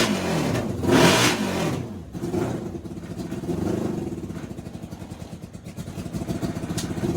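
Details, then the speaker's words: NasKart kart with a CB750 motorcycle engine: revs up fine, but after a rev the idle turns lumpy and uneven with irregular pops from the exhaust, not the intake; misfire at idle, cause suspected, not confirmed. "It revs up completely fine. But it's just like trying to get it to idle is rough. And you guys can probably hear that popping."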